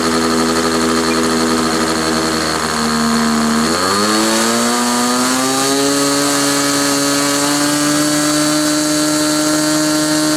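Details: Glow engine on SIG Kadet LT-40 during break-in, restrained on ground, needle valve at about 1⅓ turns, possibly slightly lean at idle: high buzz climbing smoothly then holding higher pitch, no sag or stutter; normal running.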